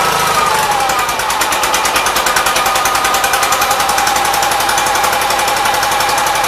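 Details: 1976 Gravely 816 single-cylinder after fixes, running again after missing fuse found; fast, even chatter at steady speed, no misses or stumbles; carburetor still needs cleaning. Normal running.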